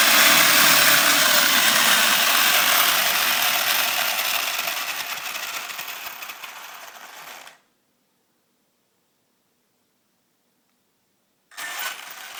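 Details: Grinding noise under throttle on a Savage Flux HP RC truck lifted off the ground: high, gritty drivetrain grinding rises with throttle, fades as it spools down, returns on each blip; cause unknown.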